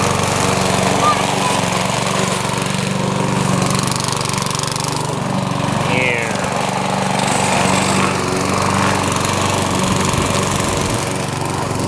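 Loud steady engine drone that holds even under cutting load, no misses or surges; this mower is running healthy.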